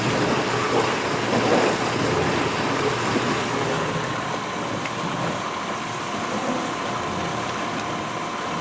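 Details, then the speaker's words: 1991 GE Potscrubber dishwasher, first wash load with dishes inside: strong, even rushing hiss of water with a faint clatter of dishes, steady and forceful spray. Normal wash spray. "even with the dishes in there you can just hear how just the force of that water you know it's amazing"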